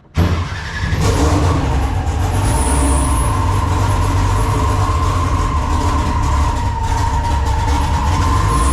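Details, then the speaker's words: Car engine started with the battery tender still connected: it idles with a thin, steady chirping squeal from an old drive belt, which the owner plans to replace. "so now you can hear I got to change the belt on that thing that belt is tweaking I forgot it bel's a little old no it's not a little old all right I don't like the way that belt sounds so we're going to change that"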